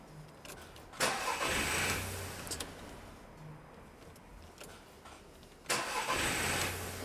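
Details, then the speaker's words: Car with an intermittent no-start that drives fine: two short bursts of cranking, each catching quickly into a steady idle; it restarts readily on retry, but after sitting about a minute it cranks without firing again, cause unknown. "It will spin over and over and over and over, do nothing, and then as soon as you let go and start again, turn it over, it will fire straight away."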